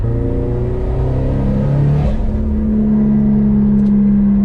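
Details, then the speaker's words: Subaru STI turbo engine of about 500 hp, misfire on cylinder 2 fixed after leak-down and compression tests passed, pull to 16 psi boost: engine note climbs steadily and cleanly with no stumble, popping or cutting out; normal full-boost pull. "Okay, we're gonna do a couple minor pulls and then we'll do a big boy pull."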